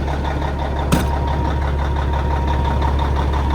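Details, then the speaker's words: Caterpillar 3406 mechanical diesel in a 1994 Peterbilt with lots of miles, no Jake brake and decent oil pressure, idling; deep, steady idle with an even low thrum and no knocks or misses, a healthy engine. "God, it still sounds good though. You can't beat these old cats."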